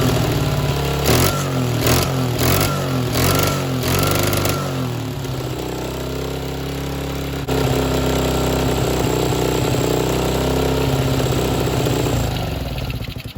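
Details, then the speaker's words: $50 50cc Chinese mini ATV with a throttle cable taken from an old Yamaha three-wheeler, leaking fuel: quick revs then a ragged, unsteady idle; runs but not well, to be fixed later. "so we got this thing running it doesn't run the greatest but we'll tackle that later"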